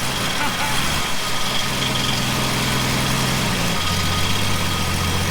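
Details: 1967 Plymouth Valiant first start after years sitting, fuel poured in carburetor, PB Blaster cleared from cylinder: steady low rumble holding even idle under hiss, settling slightly lower; running smoothly.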